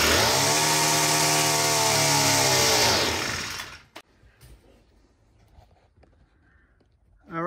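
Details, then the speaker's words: New Poulan Pro PP428S trimmer/pole saw, carb too lean from the factory: the small two-stroke screams at full throttle about three seconds, then sags and cuts out completely; lean running suspected, high-speed carb adjustment needed. "I don't know what's out there making it for all for more than a few seconds it started to die so I'm assuming it's too lean"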